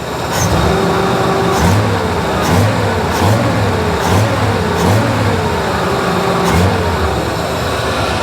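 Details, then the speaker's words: AMC Jeep CJ5 with new carburetor, vacuum parts blocked off: repeated throttle blips with idle hanging high and climbing, because the unhooked choke sticks on and engages when throttle opens; power otherwise smooth, no sputter. "the joke is sticking on because there's it's not hooked up so it when you throttle it it turns the choke on that's why you're hearing it going up"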